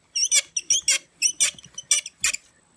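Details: 1989 Mercedes-Benz W126 interior ventilation blower motor removed from dash, fan spun by hand: sharp high chirping squeaks, about three a second, from dry bushings; replaced with a quiet used unit rather than greasing.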